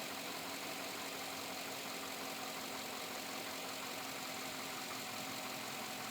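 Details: 2007 Chevrolet Avalanche at about 86,000 miles, idling: faint, even ticking knock over a thin hiss; owner unsure if engine knock or piston slap, unresolved after four dealer visits.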